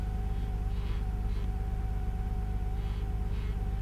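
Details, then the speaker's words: 1991 Nissan Skyline GT-R imported from Japan, engine idling: short rubbery squeaks from the dashboard every half to one and a half seconds over a low steady rumble, like chewing a rubber band; dashboard trim creak. "kind of sounds like somebody is chewing on a rubber band"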